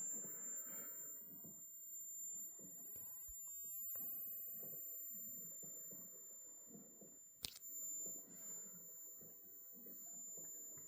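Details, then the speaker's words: Smaller of two large homemade Joule-Thief-style coils slowly charging with energy, transistor running hot: thin, steady high-pitched coil whine at one pitch over faint room noise. "See, it's slow, too, when it's filling the the cap up. Not the cap, the coil up with energy. It's slow to charge."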